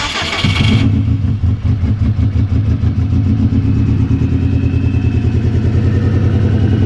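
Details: Turbo Subaru idling funny and misfiring, restarted after spark plug checks while a compression test was considered; starts and settles into a lumpy, uneven low idle with irregular stumbles; cause found to be a failed idle air control valve.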